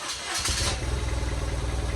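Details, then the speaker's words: BMW R1100RS no-start, running on substituted horn relay, warmed up a little: catches quickly after a brief crank, settles to a steady, even idle; fuel pump audible, runs fine. "fires right up and runs pretty good so i'm happy with that"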